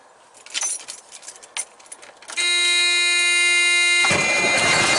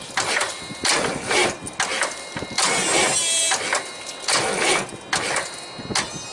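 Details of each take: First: Big truck diesel, first start after fitting the starter and cleaning and re-ending the battery cables after a no-crank no-start: brief high starter whirr, catches within seconds, runs a bit rough and jumpy at first; healthy quick start. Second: Big truck, cold winter day, after cleaning starter cables and charging battery: labored uneven cranking, heavy stroke about once a second, no catch; weak crank, battery likely still low, starter or solenoid suspected.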